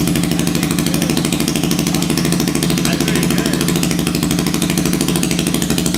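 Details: Hammerhead 250 SS go-kart single after fitting homemade custom exhaust pipe: steady idle with even, crisp exhaust beat throughout; running healthy.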